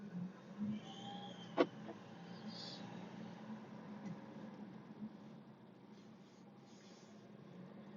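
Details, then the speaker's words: Mercedes W205 C180d, OM626/Renault R9M diesel, 210,000 km, cold engine: low diesel drone with faint high squeaky whistles coming and going, squealing when accelerating cold; exhaust smell at cold start, noise gone after about 5 minutes of driving, cause unknown. "Mercedes W205 c180d Renault Motor R9 nehmen bzw om626 und ich habe Geräusch in kalten Zustand dass der sozusagen pfeift oder quietscht"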